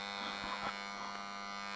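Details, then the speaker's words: Cheap old stick welder (buzz box) from auction, powered up after dust cleaning: steady mains buzz with faint rattle and crackle; transformer working, about 44 V available; owner suspects loose bolts and may tighten them. "apparently the Transformers working rattling a little bit maybe we need to tighten the bolts a little bit"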